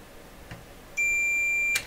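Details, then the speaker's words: Shop wiring check after a breaker trip: the meter gives a steady, unbroken high beep of just under a second, confirming the box is connected to ground, after confirming it is not shorted to the power lines. "Nothing there. Fantastic. Now we'll check to make sure the box is really connected."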